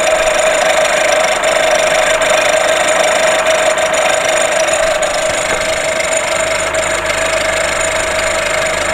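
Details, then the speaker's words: VW Golf VI 1.4 TSI CAXA, about 114,000 km, check-engine light on, timing chain replaced six months earlier, at idle: fast uneven clatter with a thin constant whine; high-pressure fuel pump suspected, not confirmed. "das auto ist hier weil es ein lautes klackern geräusch von sich gibt"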